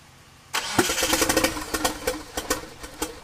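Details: 1997 Mitsubishi Eclipse GSX, 2G wiring with 95/96 cam sensor and 95 ECU: starter spins with uneven chuffing for about three seconds but never catches; owner suspects timing or the cam angle sensor.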